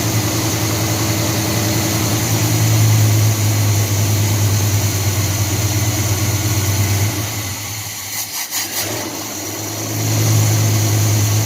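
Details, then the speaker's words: 1978 Chevy C10 350 V8 idling after a new Edelbrock intake, water pump, belts, thermostat and hoses; steady even low burble, no miss or stumble, running smooth and clean where it used to misfire. Normal idle. "better than it used to. A lot more smooth and clean. Hopefully there's no more misfires like it used to have. Man, that thing's purring like a kitten now."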